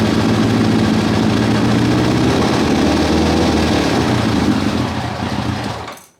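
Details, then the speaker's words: 1990 Kawasaki ZZR1100 started with a little choke, ran sweetly the night before: rough, lumpy burble with no power, no ticking or banging; misfire, owner suspects one cylinder dropped (running on three), not confirmed. "it's just it's like a burbling and like there's no power behind it and it sounds rough um yeah there's no ticking and banging and all that stuff it's just no guts to it"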